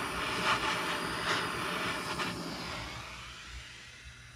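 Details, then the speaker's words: 1949 Coleman 242C gasoline lantern after rebuild, check valve and generator work, generator still heating with torch help, generator in poor condition: soft, even burner hiss settling in under fading torch rush; normal lantern sound. "now you can kind of start to hear that normal lantern sound that kind of light hiss"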